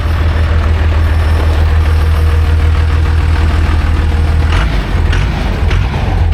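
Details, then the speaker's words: Newly overhauled 500 hp 5.9 12V Cummins diesel in a Ford farm truck chassis; deep, heavy, even rumble pulling hard under load, spinning the rear tyres, with no knock, miss or rattle; oil pressure, coolant, EGT and boost readings present, boost working well; ready to work. "مجھے EGT درجہ حرارت ملا ہے مجھے اوہ وولٹیج بوسٹ ملا ہے اور بوسٹ بہت اچھا کام کر رہا ہے میں یہ کہوں گا کہ یہ کام کرنے کے لئے تیار ہے"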